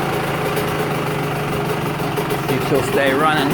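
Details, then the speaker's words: Two-stroke on 24:1 premix (5 oz oil per gallon), one more heat cycle: steady ringing idle picking up cleanly on short throttle blips, no knocks or stumbles; owner says it runs clean and crisp. "It's such a good clean running bike. I'm always impressed with how clean this bike runs. Even with 24 over one on the mixture."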